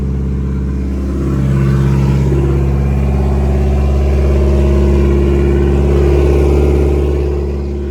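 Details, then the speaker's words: Nissan S13 with SR20 engine, after a fix for a misfire and breaking up (fresh spark plugs fitted), cold start: smooth, even idle, steady low drone with no stumble or skipped beats — normal idle. "So far sounds pretty smooth now."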